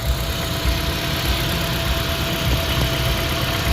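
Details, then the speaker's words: 2014 Toyota Prius V3, 1.8-liter engine, 167,000 miles, with startup noise and a growl when driving: heavy, lumpy, shaking idle; a block test turning from blue to yellow confirms a blown head gasket. "So this was blue to start with, and now it's yellow. Blown head gasket."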